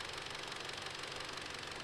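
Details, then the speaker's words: Audi S3 with a long-running coolant leak (later traced to a small hole, apparently a burst pipe), idling cap-off to bleed bubbles: fast, even, bright, thin ticking over a steady idle. A strong new tick; owner fears engine damage, cause unconfirmed. "However, I don't like the sound of that. I might have messed up the engine. There's a strong ticking sound."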